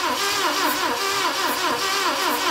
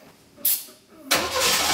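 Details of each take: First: Saab Sonett V4, first start attempt in 20 years, throttle open: steady cranking about two and a half beats a second with a breathy hiss each stroke, air blowing out the top of the carburetor; stuck valve. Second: Saab Sonett first start in 20 years, run on starting fluid with no throttle pedal fitted; starter churns briefly, then the engine catches and runs steady and even with no misfire or knocking.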